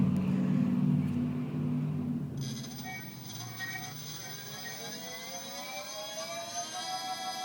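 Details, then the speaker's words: Golden Motor Magic Pie 2 hub motor with external controller, wheel on a stand, no load, recorded on phone: smooth rising whine with even hum, no grinding or clicking; healthy. "okay so now I'm uh taping the throttle wide open it has that familiar humming sound that the magic pies make"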